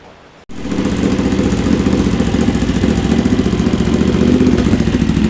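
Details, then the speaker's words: Honda GL650 first start after full rewire, stock headers with crossover into merge and Cone Engineering muffler, fresh pipes smoking: fires straight away into an even, throaty pulse, no clatter; running healthy. "this sounds really good right that was my goal"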